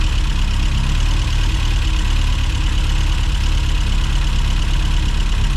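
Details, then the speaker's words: 1990s Mini Cooper S Sport 5 with a long-standing rough hot idle: at steady low idle, clamping the fuel return pipe raises speed about 50 RPM. Compression and ignition okay; owner suspects low fuel pressure, unconfirmed. "So when I clamped that, it immediately picked up probably about 50 RPM."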